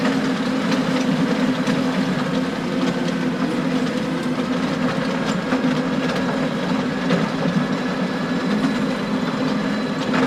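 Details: Stones clacking and banging on the power harrow tines behind a John Deere 6920 tractor working very wet, stony ground, irregular sharp clacks and bangs over a steady drone; stones previously broke a tine.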